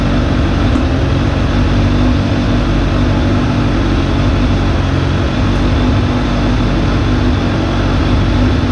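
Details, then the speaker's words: Suzuki GSF600 four-cylinder in well-below-freezing weather: steady, even low idle with a slightly lumpy soft burble; mixture very rich, idle mixture screws at three turns instead of stock one and seven-eighths. "I thought I could ride this look how rich that mixture is"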